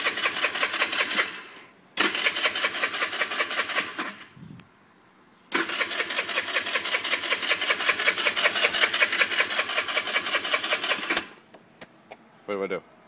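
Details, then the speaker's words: 2004 49cc Qingqi/Verucci Chinese scooter that lost power and died while riding: steady quick starter cranking, never fires. It has a new carb, fuel valve and battery and is fueled; owner suspects the carb was not properly linked to the air filter. "It was riding fine and now it won't start."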